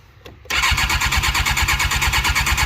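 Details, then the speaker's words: Carbureted Suzuki GSX-R 600 SRAD that sat for years: the starter spins the engine with even, quick chuffing and good compression pulses, but it never fires. "Yeah, it cranks pretty good. Start. It's got really good compression. It almost tried."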